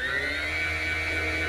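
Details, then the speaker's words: SKF Swiss-made 24 V magnetic linear actuator, still running smoothly down to 3 V: steady, even motor whine over a smooth gear hum with no catch, then a clean stop; healthy. "to the sound of her wah beautiful so I can't wait to get inside and see what is going on because it's gonna be something special"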